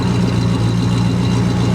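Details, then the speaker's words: 1973 Dodge camper pickup with big block V8, not run since 1998; deep steady rumble, even beat, no knocks, misses or fuel leaks; very quiet, normal idle. "That is a very nice running engine. I'm very impressed."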